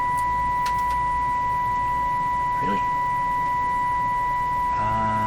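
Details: CB radio on B&K Precision 1970s–80s bench test equipment (2040 signal generator, 1040 ServiceMaster): a steady high test tone with a hard, buzzy edge. Audio output distorting, distortion reading about 20 percent.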